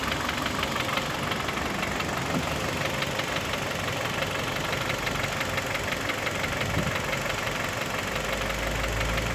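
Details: 2011 Kia Optima K5 with G4KD engine at idle: steady, rapid hollow knocking ticks, about three per second; not the valves but a piston knock.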